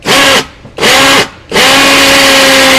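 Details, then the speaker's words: Cordless drill (Makita-battery type) on its fast speed setting: three bursts of strong, even high-pitched motor whine, the last held steady; running strongly and normally. "để chậm nó ấy để nhanh là nó chạy mầm vô khỏe như trâu nè"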